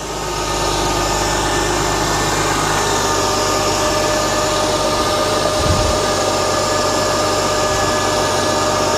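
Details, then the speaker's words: 2006 Mercedes-Benz E350, M272 3.5 V6, start-up after engine air filter replacement: steady idle with smooth even pump hum on top, secondary air injection pump running; no whistling air leaks; normal secondary air pump operation at cold start. "yep as you can see that was the secondary air injection pump that he heard seems fine"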